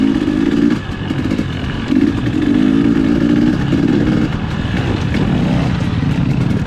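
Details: 2020 KTM 250 XCW TPI two-stroke before the fix. Uneven, gargling note that stutters instead of running clean, sputtering below 1/4 throttle. Fixed by swapping the cylinder pressure sensor with the ambient sensor.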